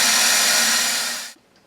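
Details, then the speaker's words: Toilet supply valve, loud water noise after flushing for a couple of days. Loud steady high-pitched hiss with a faint whistle cuts off abruptly as the valve shuts. Closing and reopening failed; air bubble believed stuck upstream of the valve. "So since that didn't cause the problem, that just kind of tells me that the bubble is kind of caught on the upstream side of the valve. And when you close the valve, the bubble just kind of stays there. When you open it, it doesn't really force it out there."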